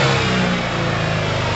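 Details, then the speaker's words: Yamaha TMAX after carb clean and new high-octane fuel, restarted after sitting 5–8 minutes, slow to warm at first: deep, steady, strong engine note revving cleanly with no misses or rattles. "It's a beast. I'm glad we let it sit for a while. When we first fired that up, you could have easily thought it's ruined, break the engine, but it needs to loosen itself up, you know."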